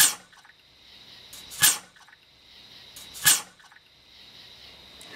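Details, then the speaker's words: 2004 Ford F150 losing brake fluid over 23,000 miles with no visible leaks: vacuum line pulled off the booster just after running, vacuum hiss and repeating gurgling splashes as the master cylinder leaks fluid into the brake booster. "So the first thing I did was I pulled this line off, and when I pull it off you'll hear vacuum escape because the truck was just running, and you'll also hear a gurgling sound."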